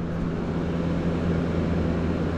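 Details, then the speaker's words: PTAC air conditioner removed from wall for not cooling, bench-tested before washing: compressor starts and runs with an even low hum around 180 Hz, no clicking or stalling; hot gas present and cold air blowing; normal compressor operation. "All right, I'm going to see if this will get up and running. If it will, if it will, I'm going to take it outside and wash it off with a water. Okay, I heard the compressor start"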